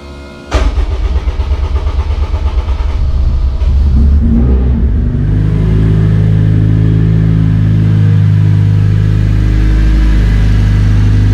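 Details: K20-powered Honda Integra DC2 racecar after fuel system fix and priming with no leaks: quick crank, catches cleanly, brief rev then steady deep idle; oil pressure, oil temperature and coolant pressure all normal on Haltech ECU laptop; healthy start.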